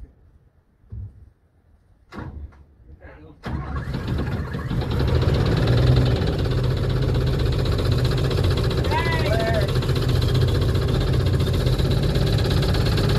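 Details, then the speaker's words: Engine started by jumping the starter to load it on a trailer: it catches after a few cranks and idles roughly with a steady low knock, about three per second, over the exhaust; source unknown. "That was sketchy. Come on, run enough to get on the trailer at least. And yes, it has a knock."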